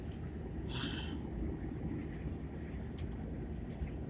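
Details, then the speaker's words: LIRR Main Line electric train in about 20°F weather with 3 inches of snow, heard from inside. Two short, sharp crackling hisses a few seconds apart over a deep rumble suggest intermittent arcing at the third-rail pickup; suspected, not confirmed. "I hear a lot of arcing going on"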